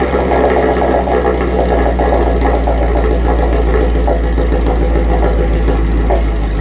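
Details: Modified Mercedes SL55 AMG V8 at idle in the garage, heard from the front of the car: deep, smooth, even rumble with no ticking, belt chirp or pulley whine; engine sounds healthy.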